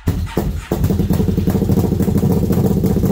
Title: Brute Force 1st fire up after rebuild